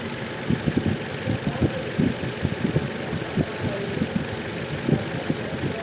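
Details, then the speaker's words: Toyota Innova petrol engine at lumpy idle, one cylinder dropping out with stumbling thumps: no check-engine light or DTC. Swap tests prove the fault is the ignition coil, not the spark plug, and the coil must be replaced. "य इशन में problem है तो यह मुझे change करनी होगी और मेरा प्रॉब्लम रिजॉल्व हो जाएगा"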